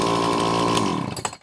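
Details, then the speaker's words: Dolmar chainsaw, two-stroke, ZAMA C1Q carb rebuilt after flooding, adjusted to 2800 rpm idle: strong even high buzz, no stumbling or misfire, shuts off cleanly; running properly. "there you have it adjusted at 2 800 rpm for idle and high and low speeds have been adjusted for the recommendations and it's running well so that carb cleaning did it"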